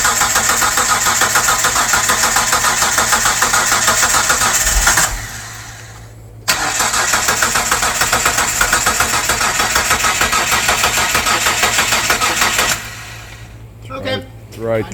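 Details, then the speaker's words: 1998 Mitsubishi 3000GT SOHC 3.0L V6 sitting about 12 years, new distributor, coil and PTU, distributor retimed, gasoline fed from a bottle: steady rapid cranking that briefly catches and fires, drops out, cranks again; engine catches after long storage, needs fuel system hooked up. "It >> probably doesn't seem like much, but it did start and catch. I think if we hook a fuel system up to this, this is going to run."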